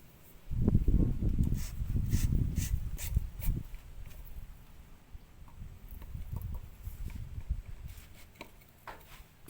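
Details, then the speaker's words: Yamaha Vega ZR / Jupiter Z small engine idling evenly after cam chain replacement; the earlier jingling rattle is gone, and handling clinks precede a normal idle. "Kalau sebelumnya tadi bunyi gemericik di bagian sini ya, bunyi itu sudah hilang ya."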